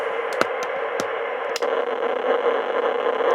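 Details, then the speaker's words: Icom IC25A 2 m VHF FM transceiver keyed on simplex before repair: harsh hiss with scattered crackles and sharp clicks instead of clean audio; faulty, intermittent transmit. "Ooh, that didn't sound good at all. [Applause] So, obviously it's got a problem."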